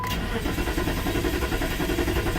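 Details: 2002 Jeep Grand Cherokee 4.7, crank-no-start, fuel pump running only about 1 in 30 attempts, tach not moving while cranking: steady even cranking with no pump hum and no catch; cause turned out to be a bad PCM.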